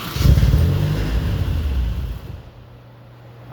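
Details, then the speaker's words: 1994 Saturn SL2, old starter refitted, new battery and upgraded ground: engine catches with a rough, uneven burst, revs briefly, then dies within about two seconds; starts but immediately stalls. "So, it turns on shortly and it immediately kills itself. That is what we got."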